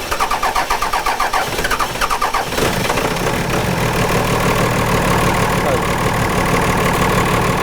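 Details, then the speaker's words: 1998-2002 Dodge Cummins after a new VP44 injection pump install and fuel bleeding: cranking chugs about two seconds, then the diesel catches and settles into a steady clatter with a mild chop. Normal first start. "Completely normal way for the truck to run when it first starts. It's going to have a little bit of a chop to it."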